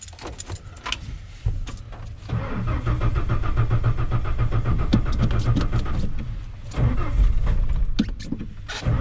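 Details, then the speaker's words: 1992 Ford F-150 Flareside with a newly installed battery, also tried on a jump; starter spins the engine briefly in short bursts, about three to four turns a second, never fires then goes quiet; cranks but no start. "it turned over like two or three times like you guys saw and then I don't know what's going on I'm trying to jump it he's not turning on it's not even turning over nothing"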